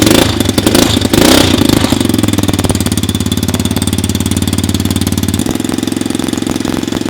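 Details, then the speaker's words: 50cc four-stroke kids' mini motocross bike, electric start: brief blip then a quiet, steady, even putter; normal idle, not very loud, standard four-stroke sound. "Bunyi dia okey je, tak berapa nak kuat. Standard lah engine four stroke."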